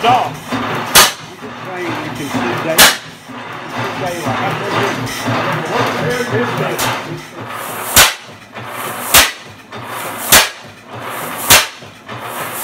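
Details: 1913 Fairbanks Morse 12 hp NB single-cylinder engine, torn down since 1976, first start in 42 years after restoration; sharp single exhaust bangs about once a second, slow and regular, running normally over background music.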